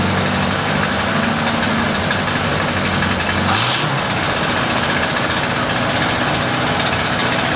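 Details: 1937 Buick limo, restored in 1980s and stored, first start in 25+ years, started with a hint of starting fluid. Steady even low idle holding without stumbling, one brief blip partway through.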